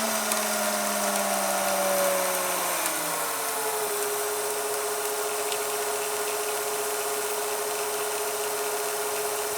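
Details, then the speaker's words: VCR rewinding an older VHS tape that had been sticking to itself on the spool: a high rewind whir drops in pitch over a couple of seconds, then holds steady and lower. This is the deck's speed control easing off normally near the tape start. "At least it slows down. You know, when it gets towards the beginning, it'll slow down. You can hear it slowing down."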